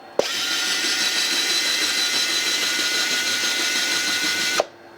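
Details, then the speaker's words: U.S. military RT-834 HF radio (GRC-106A), tuning from 11 back down to 10 MHz: steady high-pitched tuning motor whir for about four seconds, then a clean stop; normal motor run. "And you can certainly hear the motor running in there. You probably see the contacts moving past right there."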